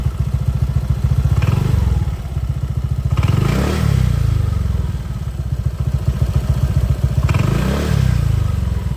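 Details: Honda PCX160 scooter, 2021, over 70,000 km: light ticking in time with the steady engine thrum; owner suspected the cam chain tensioner or pump gear, but the cause was a loose spark plug leaking past its threads.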